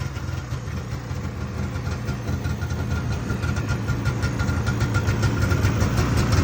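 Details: 1978 Arctic Cat El Tigre two-stroke snowmobile after a new carb needle, pilot jets and wiring fixes, carb semi-dialed-in: the rattle builds steadily as the throttle opens, pulling cleanly without bogging. Running much better.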